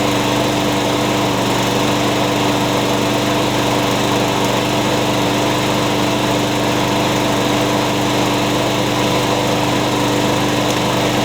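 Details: Curb-found mower, first run heard, with blade-brake kill switch zip-tied and carburetor cleaner sprayed in; steady, even single-cylinder drone at constant speed, no stumbles or surging; sounds pretty good, rear wheel drive works, blade brake cable still to fix.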